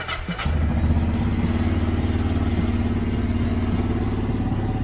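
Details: Benelli Imperiale 400 single-cylinder, brand-new bike's first start at the dealer: short crank, then fires and settles into an even, steady thumping idle with no knocks or rattles; healthy engine.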